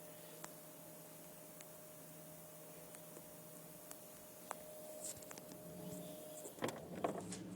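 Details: Mercedes S500 trunk close-assist pneumatic pump, 11 years old, hums steadily with faint hiss and clunks. It keeps running due to an air leak, and the system then disables close assist. Broken diaphragm tabs were also found.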